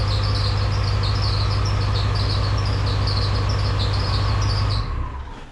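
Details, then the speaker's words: OBS Ford 7.3 diesel running until shutdown: shrill chirping squeal over a loud diesel drone; the overlong, under-tensioned belt is thought to be slipping on some pulleys. "Yeah, I know that hurts my ears too, and I'm pretty sure that's just because the belt that I have on there It's the longest one that I had, and it was the only one that actually fit over all the pulleys, but it's too long, so it doesn't have like enough pressure, so it's probably slipping on some of the other pulleys"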